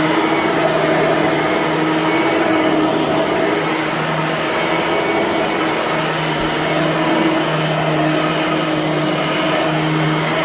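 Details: Bissell/Singer 3510 9-amp upright vacuum, somewhat worn, after a new belt and a fresh empty bag, which makes it louder than with a full bag; steady even motor roar with constant hum, no knocks or rattles, normal running.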